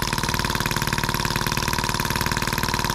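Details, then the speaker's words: Scale model Atkinson (Otto) cycle engine sold as M14, labelled EM1, first start out of the box; starts by hand in three minutes, crisp evenly spaced firing pulses, steady beat, no misses or knocks; normal running. "well now it's going to make me three minutes and it starts by hand how impressive"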